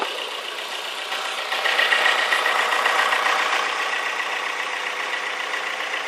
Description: After completing this conversion and rectifying the idling issue, the engine constantly makes a clicking sound.. i have yet to work out what it is.